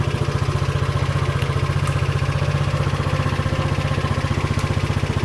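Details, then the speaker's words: SYM Allo 125 single-cylinder scooter, started after charging the battery to about 12.5 V: regular, clean idle at about three firing pulses a second with no clatter, idling normally. "okay so we've got about twelve point five volts now and that seems to be enough to start the engine so starts right up no problem"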